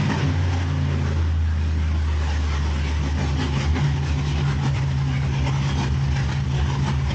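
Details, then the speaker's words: Cadillac CTS-V engine rebuilt after water intrusion bent a rod and broke a piston: deep, smooth, even rumble with no knock, tick or miss after coolant bleed; no leaks, fantastic oil pressure, running healthy. "But it runs, bled the coolant, there's no leaks. Sounds like it's running good, has fantastic oil pressure."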